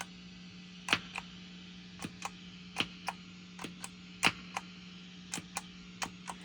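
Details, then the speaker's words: Moen GEC8Jr pedal switcher with no input and only the output cable to the amp, patch cords changed: sharp, loud pops at uneven spacing over a quiet hum when switching presets, despite its pop-cancellation circuitry; root cause being investigated. "as you can hear if I touch the pedals you can you can still hear a pop let's press here and that noise when it's going through a PA system is awfully loud"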